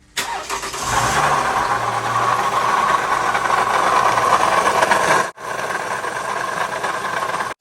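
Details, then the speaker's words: 2011 Toyota Sienna in for water pump replacement: engine fires and idles with a raspy, gritty whir over the idle that tracks engine speed, pretty noisy. Worn water pump bearing. "you can hear it is pretty noisy"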